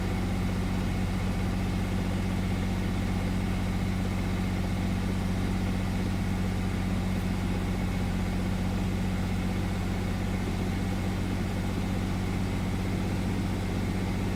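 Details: 1999 Chevy S10 4.3: low idle with an uneven, stumbling pulse, a misfire; cylinders 4 and 6 getting no fuel despite good spark and a swapped used fuel spider of uncertain history.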